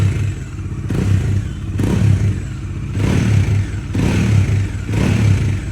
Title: Dominar 400 UG 2022 model Engine Noise , problem unknown.